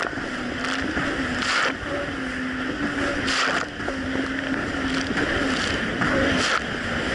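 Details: 2007 Yamaha VX Cruiser jet ski on choppy Lake Michigan after a $10 fix for a surging/power-loss issue, which a narrow gap probably caused: an even, steady mid-pitched drone through the wave slaps with no surging or hunting; running smoothly.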